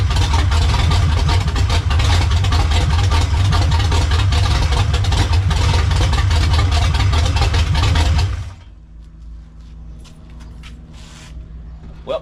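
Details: Monte Carlo, slightly warm, after swapping carburetor and distributor from a parts car to fix a long-crank start problem: runs at a steady, even idle about eight seconds, then switched off, no misfire or stumble; carburetor not yet tuned.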